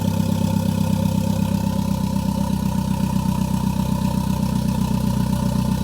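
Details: Gen5 engine swapped into an MR2 (replacing the Gen3), first start with no exhaust fitted: a loud, raw idle with an even low beat of about four pulses a second and no knocks; a check engine light came on, owner suspects a sensor, possibly the damaged O2 sensor.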